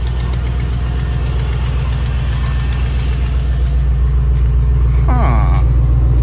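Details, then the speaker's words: 2001 Chevy Silverado 1500 5.3 V8, previously misfiring at idle with bank 1 and 2 lean codes from a cracked EGR tube, after exhaust manifold leak repair with sealer: even, steady idle, smooth low rumble, no ticking or puffing. "sounds like no more exhaust leak to me, baby. Yep, if it was still there, it would have done something goofy by now."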